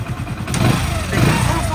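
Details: Hero Splendor iSmart small single after full service, fresh Motul oil and new timing kit; idles with a steady low thump and even beat, no ticking or knocking on top, light throttle blips fine; healthy and settled.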